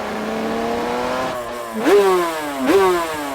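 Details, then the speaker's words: 1989 Kevin Schwantz Pepsi Suzuki RGV500 two-stroke GP bike ridden slowly around a small circuit, brakes not up to temperature. Raspy burbling at low revs with throttle blips that rise and sag; getting a bit clogged up, can't stretch its legs, loading up. "you can hear that it's just getting a bit clogged up around here. Can't really stretch its legs."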